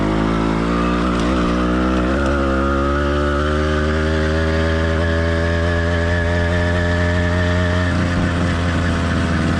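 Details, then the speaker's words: Cheap single-speed motorized bike kit two-stroke with single-circuit carburetor, warmed up but not heat-soaked: steady buzzing note climbing gently as it pulls, mostly smooth with light burbling. Healthy normal running. "let's listen to how the motor sounds after it's been warmed up but note this motor is not heat soaked"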